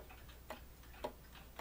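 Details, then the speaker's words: Repaired 30-hour Ogee clock movement, fully disassembled, cleaned and oiled with a pulley replaced. Verge assembly was previously so far off that the beat was way off. Now crisp, evenly spaced ticks a little over half a second apart with no limp; normal, in-beat tick. "has a nice even tick to it I don't know if you'll be able to see the escaping wheel"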